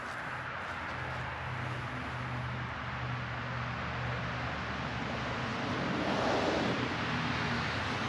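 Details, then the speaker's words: 1983 Suzuki GS1100GL four, newly fitted Delkevic stainless full exhaust with megaphone baffle, existing jetting: smooth, even low burble at idle, deeper than the original exhaust, rising briefly with a light throttle blip; normal idle. "As you can see and hear, it's got a deeper tone than the original exhaust, and I'll rev it up a little bit here just so you can get the sound of it."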